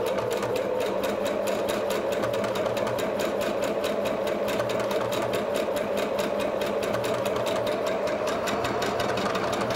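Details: PFAFF Passport 2.0 sewing machine with a wing (lancéolée) needle on decorative stitch 48, piercing holes in the fabric: rapid, even needle ticking with a smooth motor hum and no knocks. Normal stitching.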